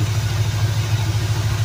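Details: 1984 Subaru ("Subalanche") after fitting a second, tested electric fuel pump: starts and holds a low, steady idle with even pulsing beat, no misses or stumbles, though the pump spews little fuel and owner suspects a clog and may bypass it.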